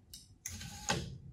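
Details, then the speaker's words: 2007 Toyota Avalon rear sunshade motor, driven by reversing wire polarity: sharp, irregular mechanical clicks after the curtain reaches its fully raised stop; nothing found binding. "okay we're all the way up that's for sure okay you can hear the motor clicking all the way up"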